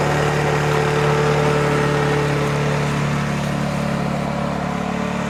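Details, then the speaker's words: Lawn mower engine idling after carburettor removed, cleaned and blown out and air filter serviced (it had been running poorly, squeaking, stalling); even smooth buzz, steady revs, no sputtering or surging; sound and revs good, normal idle. "Я доволен Звук хороший обороты хорошие"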